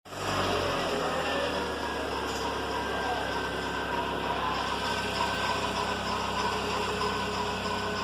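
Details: VW Fox in the morning after a cold start: a steady whirring whine at constant pitch rides over a smooth idle, from a worn accessory serpentine belt idler pulley bearing.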